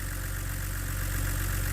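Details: BMW E89 Z4 3.0 N52 straight-six (40,000 miles) idling and warming up after a stuck timing chain tensioner was replaced; spilled oil burning off the manifold. Smooth, even low idle hum with no chain rattle or ticking; healthy.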